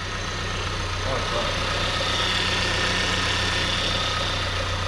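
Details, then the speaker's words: VW Golf with freshly fitted secondhand engine at idle, battery low with fans drawing power, which owner assumes makes it a bit rough: smooth, even idle with steady low hum and no knocks, misses or rattles; healthy. "it sounds okay that i assume it's a bit of rough now because the battery is low and now the fans are sucking the power"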